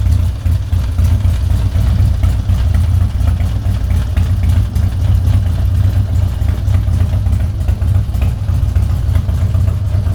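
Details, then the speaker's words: Harley-Davidson Twin Cam Dyna Glide (FXD) V-twin, cold, after a CV carb rebuild and intake manifold reseal for no-idle and fuel leaking: steady, even low thump with no misses, with no fuel leak and a cold idle far better than before. "We're not leaking any fuel. Cold idle's way, way, way better than it did before."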